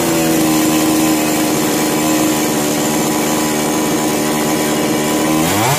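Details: Chainsaw, model 652, with starting problem, on hand choke after carburetor adjustment: ragged, wavering buzz that sags and dies; problem not solved, mechanic suspects a sooted spark plug causing stop-start running and stalling.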